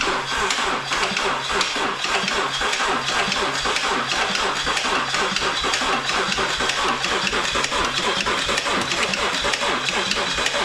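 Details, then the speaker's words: Subaru BRZ with a used replacement engine, first start (suspected rod knock or cam phaser): fast, even light ticking over cranking and catch; owner thinks it's the phasers since both click; oil not yet reached filter. "like the phasers because they're both clicking"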